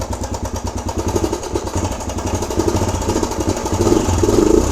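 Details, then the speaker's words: Suzuki DRZ125 single at fast idle: light quick tick over each firing pulse, seemingly from the top end; owner suspects valves or cam chain. "so you can hear i think it's the valves or the uh cam chain"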